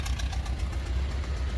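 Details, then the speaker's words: 1994 Toyota Previa LE SC AllTrac mid-engine van just after a cold start: low, uneven, loping idle that won't settle; takes about 30 seconds to warm up and smooth out on most starts; rough cold idle. "you hear that it just takes 30 seconds or so doesn't like to warm up and it's actually not every single time to start it but it's most of them"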